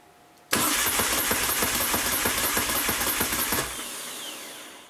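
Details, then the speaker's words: New 2012 Moto Guzzi Norge, 3.2 miles, off battery tender: steady cranking about three compressions a second, never fires; red warning light and service message, battery 12.5 V dropping to 10.8–11 V cranking. "And if we crank, nothing will happen other than the motorcycle will crank."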